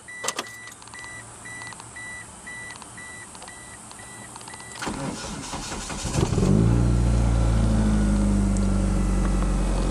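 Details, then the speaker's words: Built Mitsubishi Eclipse DSM, boosted 2.3 stroker, started after sitting: door chime beeping, short sluggish crank, then catches and settles into steady idle; battery a little weak from sitting, to be charged. "The battery's a little weak from sitting, but I'll get it charged up."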